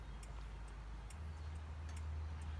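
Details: Red buggy's newly wired turn signals: light, even flasher ticks about twice a second over a low hum; signals flash at a normal, steady rate.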